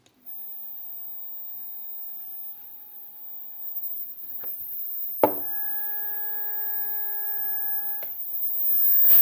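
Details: 3D printer stepper motor, previously used on the X/Y axes, tested alone at 2 A peak: steady clean mid-pitched tone during each move with a faint high hiss, running normally before parallel-wiring tests.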